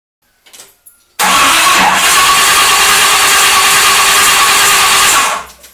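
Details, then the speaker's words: 1973 Corvette Stingray with a cheap performance distributor, after fuel-line leak fix, fire-up attempt: starter cranks about four seconds with no firing; timing light confirms no spark, coil or distributor suspected. "Nothing. We're going to get no spark at all. Okay. With my timing light hooked up, I could see that we had no spark."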